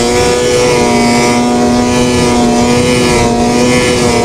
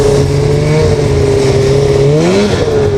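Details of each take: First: Two-stroke snowmobile after power valve cleaning fixed high-rpm bogging: strong clean rising scream at full throttle, pulling smoothly with no bog or stumble; night-and-day improvement, running healthy. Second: Snowmobile with power valves, riding at high speed: loud two-stroke drone with wavering, sagging pitch, boggy, almost like running on one cylinder; owner suspects dirty power valves, and cleaning them fixed it.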